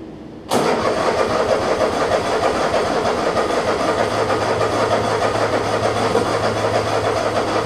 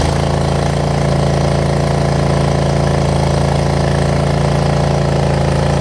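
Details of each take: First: Troy Bilt Mustang 50-inch zero turn mower whose muffler fell off: twin starts and settles into a harsh, loud, raspy unmuffled idle; loud exhaust from detached muffler. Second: Troy Bilt Mustang 50-inch zero turn after reattaching the muffler, slow to start cold but starting within 10 seconds: steady, even low thrum with no misses, knocks or rattles; normal idle.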